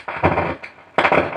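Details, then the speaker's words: Ahuja BTZ 7000 700 W amplifier, opened up: harsh crackling bursts cut in and out when a line input is connected, pointing to a dry solder joint at the input connector. "এই অ্যাম্পলিফায়ারটার একটা problem আছে, এটাতে line দিলে একটা আওয়াজ হয় আর কি।"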